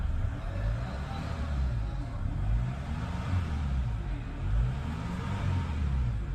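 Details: Chevrolet Cruze, previously no start and ignition shutting off, ECU/ECM repaired; push-button start with clutch pressed: low steady rumble, even rhythm, no knocks or misses; normal idle after repair.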